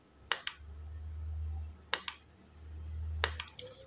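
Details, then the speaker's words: Godox Mini K-150 studio flash after repair of no-firing and power-drop fault, fired by trigger at full power: three sharp pops about 1.5 s apart, each followed by a swelling recharge hum. Fires and recycles properly. "ini saya pakai Trigger Ini saya posisi full saya tembak"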